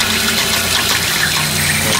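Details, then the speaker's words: Steam boiler at about 120–125 psi, wood-fired: valve opened, injector draws water from the container but it gushes out the overflow instead of feeding the boiler, with steady hiss. A second injector also failed; cause unclear, replacement from England awaited. "I'll turn on the valve so it's sucking water out of the container and it's just going out the Overflow"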